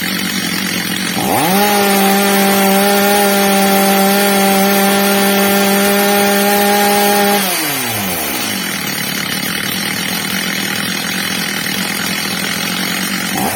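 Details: Old, well-worn Stihl MS230 chainsaw after fitting a new replacement carburettor, during its adjustment: quick climb to a clean, steady high scream for about six seconds, then smoothly back to even idle, normal running.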